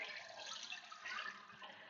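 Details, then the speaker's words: Toilet that kept running, after the bad flapper was replaced with a universal 1.28-gallon-per-flush flapper: soft, steady rush of water with light splashing, no squeal or hammering; tank refilling normally after a quick flush that didn't empty it. "so that were this is filling up now you'll notice it went very quickly it didn't empty the tank"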